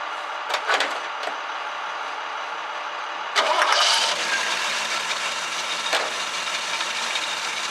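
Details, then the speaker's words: 1966 Chevrolet C10 after basic tune-up with dwell set: a few short bursts, then catches and settles into a steady, even idle around 800 rpm; runs smoothly, better than before. "better I like that way better [Applause] we're like right about 800rpm that's not too bad I'll leave that for now"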